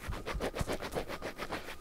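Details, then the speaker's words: KTM 350 EXC-F rear wheel bearing turned by hand with the wheel off, giving rough, scratchy grinding pulses about five a second; worn wheel bearing on its way out, about to be replaced. "is on its way out so we're about good timing of um changing these"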